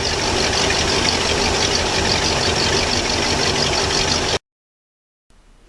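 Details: Ski boat inboard engine running after Velvet Drive 1:1 transmission replaced with new ZF 1:1; fired up and shifted in and out of gear to check linkage clears muffler. Steady, even note with smooth regular beat, no knocks or grinding before shutdown; normal running.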